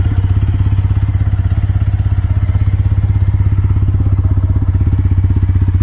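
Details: TVS Apache RTR 160 4V, about 12,986 km, after six months unused: even, steady idle thump about three beats a second, no knocks, misses or rattles; normal idle after sitting.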